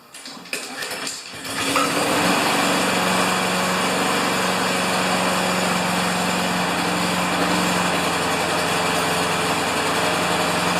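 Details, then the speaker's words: Honda GCV engine on a Craftsman MTD mower after a tune-up, using its semi-automatic choke: a short pull, then it catches within a second and settles into a steady, even buzz with no misses. Normal start and idle. "Now, I'm going to just start it up. And it has the uh the crazy semi-automatic choke on it, which works, by the way. Should start."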